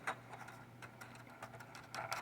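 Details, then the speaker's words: 1962 Gibson GA-5T Skylark amplifier on bench: scattered irregular crackles and pops of static when original coupling capacitor is moved; no DC on its back side; capacitor suspected and replaced, after which it worked good. "don't know if you can hear that but we're getting static um there is no dc on the um back side of it so that's not the problem"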